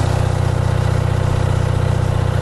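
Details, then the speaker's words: Low-hour Onan 5.0 CCK-4R 5kW three-phase 120/208V dual-fuel genset, small muffler, no load, reading 120V, 61Hz: even, steady low thrum with a quick regular firing pulse, nothing knocking or missing. Runs healthy. "Now there's a muffler. It's got just a small muffler, and you can quiet it down greatly if you use the bigger muffler."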